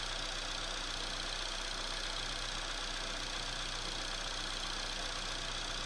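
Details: Opel/Chevrolet Astra engine at cold idle just after start, with a steady, fairly even ticking near four per second over a hissy engine; abnormal cold-idle clatter, source unclear.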